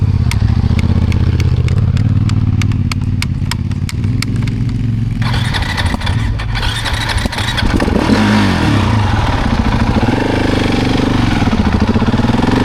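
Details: KTM 690 Euro 5 single after repeated stalls: five seconds of slow spaced ticks, then it catches with an uneven stumbling rev; hard starting, suspected from near-zero intake valve clearance (spec 0.12-0.15mm).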